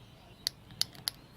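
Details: Toyota Tarago/Previa/Estima windscreen washer pump on direct power: three sharp crackling snaps with no motor whir, front washer pump motor arcs but does nothing, motor dead; rear pump works.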